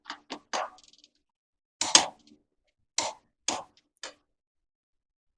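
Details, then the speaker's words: Torque stick on a flatbed trailer's five-lug wheel, tightened in a star pattern: sharp single metallic clicks a second or so apart, each one the wrench breaking over at its set torque after some turn, so no over-torquing. "One and you can tell that I'm getting quite a bit of turn on these before they before the click which tells you I did not over torque with the torque stick here it did its job"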